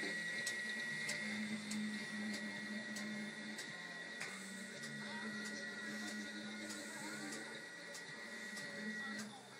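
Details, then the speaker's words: Dyna Myte DM 3000 lathe under Gecko G540/Mach3 control on a 48 V supply; the stepper whirrs as the tool changer hits a lock every 60 degrees, with ratchet ticks about three a second; normal tool changer operation. "ery 60 degrees it'll come against a lock and that's the noise you hear and the total hit that and the stepper will slip and that's fine"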